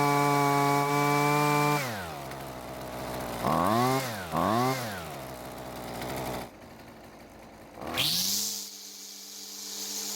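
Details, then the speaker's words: Husqvarna string trimmer two-stroke, after recoil repair and carburetor adjustment for too-high engine speed: crisp steady high revs, two clean throttle blips, then a settled even idle; running healthy. "well it looks like it's running a whole lot better but we did need to make some adjustments to get it there"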